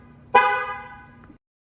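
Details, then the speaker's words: Mercedes ML W166 with StarLine S9 V2 alarm, engine running: anti-hijack mode activated in the app triggers a loud multi-tone honk for about a second, then the engine is cut. "dans l'application active le mode cardiaaking donc l'alarme va se déclencher puis le moteur va se couper"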